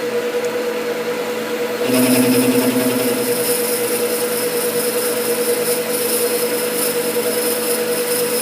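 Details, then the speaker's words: Lathe parting off with a new insert in an S-car parting blade: a steady hum with a hissing, slightly buzzy cutting noise. The sound is normal, from the flutes on the parting tool, not chatter. "by the way that sound that's that's not chatter that's the flutes on the parting tool making that"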